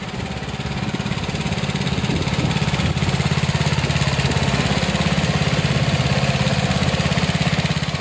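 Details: Old Snapper rear-engine rider, 28-inch deck, 10 hp Briggs & Stratton with newer carburetor: steady, even chug at constant speed, no misses or knocks; runs well.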